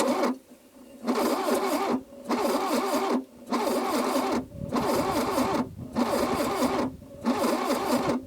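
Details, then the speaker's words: 1982 Plymouth TC3 (Horizon), first start attempt in 32 years with spark plugs back in: repeated slow cranking bursts about a second long with pauses; the engine turns but never catches, no spark, distributor seized. "we're not getting spark where Spark should be gotten"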